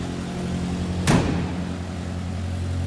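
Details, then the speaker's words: 1946 Crosley 2-door sedan, four-cylinder with a single carb, just after a cold start: steady, low, even putter with one brief thump early on; normal cold idle. "That was a cold start. We're gonna let it warm up here just a little bit, but I thought I'd let you hear it run."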